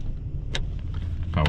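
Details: 2001 Toyota Tundra: two quick mechanical thunks from the lock actuators over a low idle hum; the power door locks are cycling normally.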